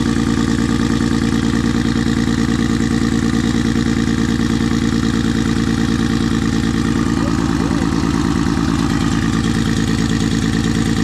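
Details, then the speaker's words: Nissan RB20 rebuilt with Kelford cams and Garrett G30 top-mount turbo, first start warming up: loud, shaky, lumpy idle running on five cylinders; unplugging injectors showed cylinder five not firing, so a misfire with one cylinder dead. "So, I don't know if you can hear it, but it's actually only running on five cylinders. Um so, I pulled each injector plug off. Found it was cylinder five not firing."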